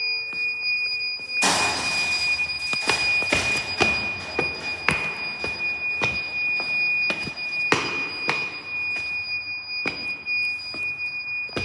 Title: The iPhone Discovery 1—Weird Beeping Noise at Westminster School Amman (read description)